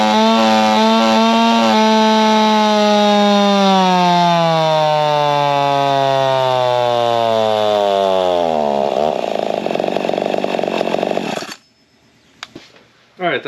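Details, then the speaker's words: Modified Husqvarna 55 racer chainsaw after fixing chafed coil wire, welding lower piston ring and plugging decomp: wide-open-throttle two-stroke scream sinking smoothly as load pulls revs down, clean until shut-off; healthy, about 6.2 hp averaged. "that sounded pretty good, felt pretty good. We averaged just about 6.2 horse and we gained torque all the way from top to bottom."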